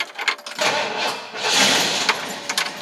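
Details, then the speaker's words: 1966 Ford Galaxie 500 cold start after adding a ground to the negative battery terminal: catches after a brief crank and settles into an uneven cold idle, no knocks or grinding; the ground was all it needed. "That's all it needed."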